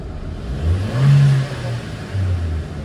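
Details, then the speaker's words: 2013 Chevy Cruze 1.4 turbo after catalytic converter replacement for no-acceleration problem: two short revs with smooth low surge rising and falling with throttle, turbo audible, no check engine light; normal turbo spool. "well so far so good no check engine light and listen to this thing listen you can actually hear the turbo now"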